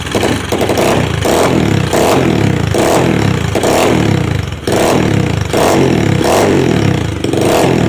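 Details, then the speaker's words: Customer's second SSR pit bike after carburetor rebuild, which previously needed starter fluid to start: the single-cylinder engine ticks over with a busy, slightly uneven putter and some blips, but keeps running on its own. Normal idle. "down we go she took a little second but she's up and running no starter fluid need it iding pretty nice and good"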